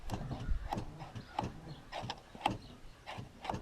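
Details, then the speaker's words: Cadillac Eldorado, just after a battery cable is hooked up: quiet, sharp solenoid or relay clicks come roughly every half second to second. The cause is unknown, and the door and power locks still don't work. "As soon as you hook up a cable, there's solenoids clicking and whatnot."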